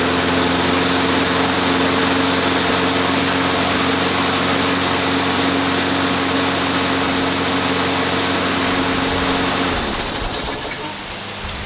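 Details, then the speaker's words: Free lawn mower reassembled to check whether a ticking noise remained or the handlebar pull cord was the issue: small engine holds a steady, even buzz with no ticking or rubbing, then winds down smoothly at shutoff; normal running. "all right well sounded uh pretty reasonable to me so i'm going to put it back together and uh see if i cut some grass"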